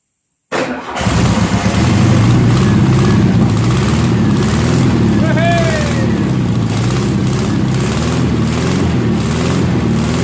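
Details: 1972 VW Beetle 1200 flat-four, 48 years old and laid up for decades, run sitting on a tire after fuel was squirted into the carburetor: it cranks briefly, catches at once and settles into a steady, even idle with no misses or knocks.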